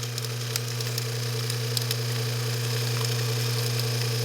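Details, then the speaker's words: Spa pump motor on a HydroSpa Princess with Hydro-Quip CS800-A1 air button controller, shaft very tight, spin-started: steady hum with irregular scratchy crackles from a bearing going bad. "so we've got a bearing going bad in it and you can actually hear the bearing"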